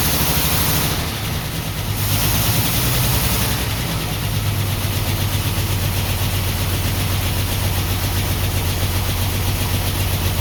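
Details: 1949 Ford F1, run after sitting 20 years, choke partly on, electric fuel pump just switched on, no working water pump: uneven, lumpy idle with missing exhaust pulses, missing on one cylinder. Cylinder misfire at idle.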